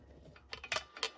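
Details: BMW N20 turbo, engine off: a handful of light metallic clicks as the wastegate flapper is rocked by hand; sloppy worn flapper bushing rattles and won't seal closed, causing low boost pressure.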